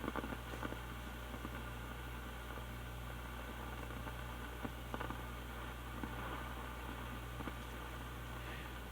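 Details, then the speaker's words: 1960s Lafayette LR500T transistor stereo receiver, after several minutes on: steady low rumble and hum in one channel only, with faint crackles and clicks, worse when turning the bass control. The other channel is clean, and failed capacitors were later found. "now a problem has become apparent and that is there's kind of a constant low rumble in one of the channels"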